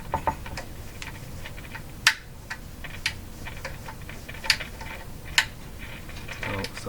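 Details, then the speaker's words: Crosley Mohawk 14B tube radio: irregular crackles and scratchy pops over hiss as the knob turns, a noisy volume control. Possibly DC leakage through the control that cleaning won't fix, unconfirmed. "little noisy in the volume control you know this noise in the volume control could be from DC leakage through the volume control and you can't clean it away that's possible"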